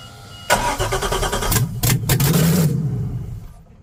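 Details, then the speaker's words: Boat engine dry-fired on open manifolds with no exhaust or catalytic converters: it fires with a sharp crackling bark, runs loud and ragged for a couple of seconds, then dies. Described as sounding terrible. "all right so we got no exhaust basically on the other side you got manifolds supposed to be catalytic converters in each hole everything's hooked up i'm just going to fire it off and see what it sounds like"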